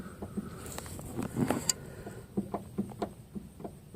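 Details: Chrysler Sebring front tie rod, disconnected and rocked in and out by hand: repeated dull clunks and clicks, roughly two a second; the inner tie rod joint is badly worn and loose.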